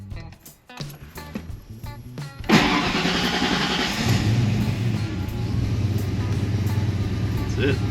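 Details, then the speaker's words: Foxbody Mustang on Holley Terminator X after swapping in a Ford Fiesta-style idle air control valve: cranks briefly, catches cleanly, comes down off idle nicer and settles to a steady even idle. "Comes down off idle a lot nicer now."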